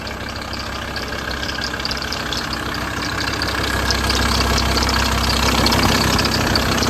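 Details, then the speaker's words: VW T4 diesel at idle after sitting outdoors 3–4 months: auxiliary belt visibly slapping about three beats a second, tensioner at top of engine rusted and believed seized; owner also considered a worn crank pulley. "so as you can hear there's loads of noise coming from that belt you can literally see in the video it's slapping about so I think the tensioner at the top of the engine there I think that's the problem and I reckon that is seized up"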